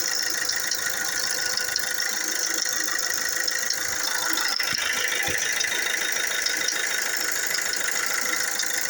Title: Fiat doblo 3 multijet bad chain noise.